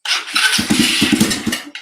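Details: Small single-cylinder engine on a cold start. It is hard to start, and the owner blames the PZ30 carburetor. Sharp uneven puffs and a raspy chuff follow as it revs. The owner suspects a header exhaust leak needing a crush washer; this is not confirmed.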